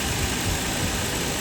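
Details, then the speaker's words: Nissan Y33 Cima VQ30DET after alternator replacement: smooth, even idle with no high-pitched whine or belt chirp, unlike before when the alternator died. Normal idle, belts aligned. "Yep. Sounds really healthy. It sounds normal."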